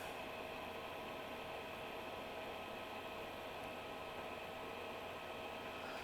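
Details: Hikvision DVR after an HDD error fault traced away from the hard drive, reassembled with the original drive and voltages checked at 12, 3.3 and 5 V; quiet steady fan hum with a faint constant tone, no ticking or rattling.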